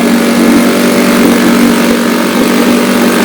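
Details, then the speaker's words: Restored 1962 Johnson Seahorse 3 HP outboard at high speed after adjusting the high-speed needle: steady, high, buzzy pitch with no misses or surging, well trimmed, with good warm water pumping out with the exhaust; normal running. "Get that needle just right, and it really trims it out. That's pretty doggone good."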